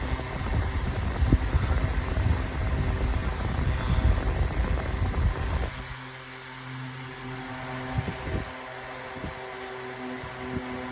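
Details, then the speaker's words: 9-inch Airtek high-velocity fan on high speed, very loud, blowing a lot of air, then switched off to coast down: loud steady rush with even low hum dropping away; normal fan running. "All right, now here is high. And on high it's very loud, but it's blowing a lot of air."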